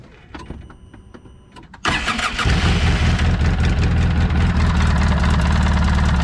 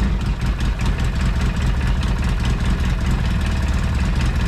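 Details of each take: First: Polaris RZR 800 petrol engine cranks, catches, runs rough with steady deep knock under exhaust; first suspected worn clutch, noise persisted with clutch off; bad rod bearings, engine taken apart to fix. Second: Polaris RZR 800 after rod bearing repair, first start after priming with coils unplugged: small petrol engine idles with a steady low chug and no bottom-end knocking.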